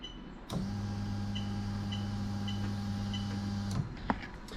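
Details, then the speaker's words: Toyota Celsior/LS400 1998–2000 RHD engine harness converted to standalone, bench-tested via diagnostic software: relay clicks then steady low electric fuel pump hum for about three seconds before cutting off; pump runs normally when commanded. "so you can hear the relay clicking on it off and hopefully fingers crossed you can actually hear the pump working"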